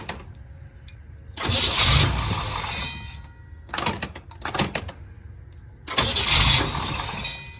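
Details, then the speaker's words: 1962 Corvette after repair of hard start: ignition adjusted, corroded rotor and point contacts filed, distributor cam lubricated. Short crank and it fires straight away each try, catching cleanly; normal quick start. "ignition key is on and uh it starts right up now"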